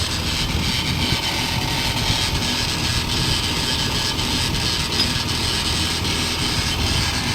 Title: sound of Worn out wheel bearing, Holden Barina Tk